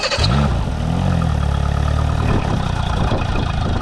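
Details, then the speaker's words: Mercury four-stroke EFI outboard starts and settles at a fast, steady idle, too high because the warped throttle body stays open; IAC stops cycling, and it stumbles and stalls when revved. "Now, I can clearly hear that the idle is too high. And that's because that throttle body is warped and it's still open."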